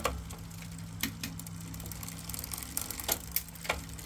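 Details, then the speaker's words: Lectric XP e-bike rear wheel turning with motor running: light irregular clicking as the Shimano derailleur catches the cog. It is being adjusted a quarter turn, and the owner suspects a bent or twisted derailleur with a non-straight shift cable. "Here it, well, let me turn this off. It's more motor noise than anything else. You can hear it clicking up against the gear."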